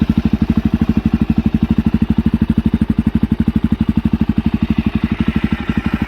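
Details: Suzuki DRZ400SM single-cylinder supermoto with newly installed Yoshimura RS2 full exhaust, not yet broken in: crisp, even thumping about twelve beats a second, steady with no misses or rattles; healthy idle.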